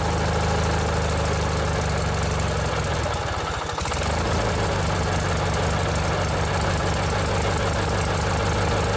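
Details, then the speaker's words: Old 16 horsepower Briggs and Stratton opposed twin on a vintage riding mower with modified choke cable: steady low twin-cylinder burble with an even beat, one brief dip midway then back to smooth strong idle; healthy engine. "This is one of my favorite engines that Briggs and Stratton ever built. They run really smooth and they have a lot of power."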